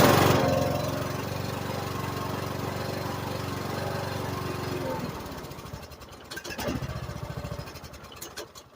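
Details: Lawn tractor starting right after a new battery install, on a cleaned carburetor with a new spark plug, fuel filter and air filter: engine catches at once and runs smooth and even for about five seconds, a healthy start.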